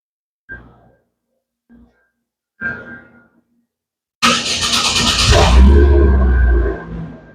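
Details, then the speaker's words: 2011 Chevy Aveo after replacing a failed 3.5-year-old ignition coil pack for a cylinder 4 misfire, codes and misfire counters cleared: clunks, then cranks, catches and settles to a steady idle on all four cylinders. "well it's running on all four cylinders"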